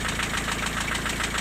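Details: Diesel at idle after vacuum pump replacement. The intermittent knock, present hot or cold, persists. Owner suspects a valve shim or a fuel issue. Sharp regular knock about seven per second over injector clatter: piston slap.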